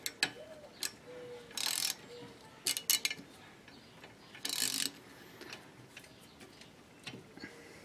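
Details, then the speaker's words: 2013 Chevy Cruze rear drum brake after new shoes fitted and adjuster set a few clicks: drum spun by hand turns freely with only a faint light shoe rub between handling clicks; correctly adjusted. "there we go it's still free I'm not putting any effort into turning this me here it just barely barely barely touch it I like that"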